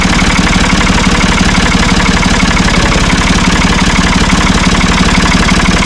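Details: Ford 445 diesel tractor, thought to be a 1970s model, bought at online auction: steady, even diesel idle with regular firing pulses around three per second and no knocks or misses; it starts and runs well.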